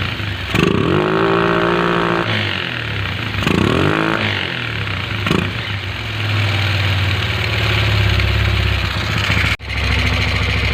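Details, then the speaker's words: Single-cylinder motorcycle after a thorough carburetor cleaning; before, it had weak pull, occasional misfiring, hard starting and an idle going up and down. Now it idles steadily and revs cleanly with no stumbling or popping. "So ngayon ikakabit ko na lang tapos testing natin kung papalyya siya sa low and high RPM."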